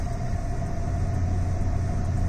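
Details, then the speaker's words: 1996 Ford F-150 after refilling fuel and additive treatment: steady deep rumble at idle with no stumbling or hunting; normal idle, whereas it used to hesitate and stumble at startup, blamed on bad gas. "Because it did not used to start up like that. It would hesitate and stumble and stumble and stumble and finally catch up."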